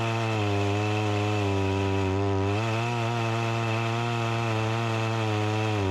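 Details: Echo CS-352 chainsaw that starts then dies, cutting wood; steady high buzz but pitch sags and wavers as it bogs; lean, not getting the gas it needs, bogging under load from fuel starvation; chain oiler working.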